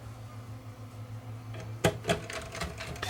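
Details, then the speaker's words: Sony DTC700 DAT recorder, top removed, after refitting the mode switch with gears aligned: faint motor hum, light clicks and whirring as tape threads smoothly, no grinding or slipping; normal tape loading. "go through all the mode to make sure that all the modes are operating correctly"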